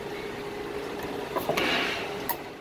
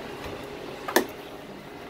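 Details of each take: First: A door closer, shown during a roof-hatch and compressor-change job, latches properly: a quiet room, then sharp clicks as the door swings shut and the closer locks fully down, pushed to the locked position and going no farther. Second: Door latch gives one sharp click in a quiet room as it lets go. The strike isn't pushing the latch wheel fully down into the locked position, so a bump opens the door; fix is lowering the strike screws, possibly also bending the strike.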